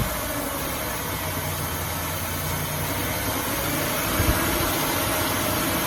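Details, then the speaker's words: 2005 Ford Taurus just after replacing the idle air control valve, about 70°F outside; idle rough and uneven with slight surge and dip, still fluctuating; owner thinks the new part needs time to register with the computer. "still fluctuating a little but I say give it a little time for that new sensor or that new car to they registered into the computer"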